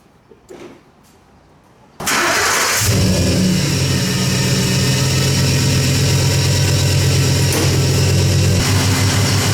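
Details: Ford F-150 after driving through deep water: steady idle with a dry, constant whirring from the accessory belt area; worn belt tensioner pulley bearing.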